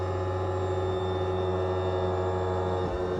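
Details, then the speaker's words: Boat's twin outboards being trimmed down with the two-speed trim before starting: a constant electric motor drone that slows, then changes pitch as they reach full down and stop; working normally. "you can kind of hear them make a slightly different noise and they stop moving"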